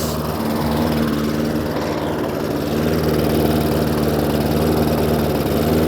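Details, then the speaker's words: Hayter Ranger 53 mower that would not reach full revs, after bending the throttle/governor spring clip forward as a manual adjustment: steady even high-rev drone, no surging or misfire; revs now where they should be. "so as you can see a little tiny adjustment on this little um throttle here now pushes those revs up to where they should be"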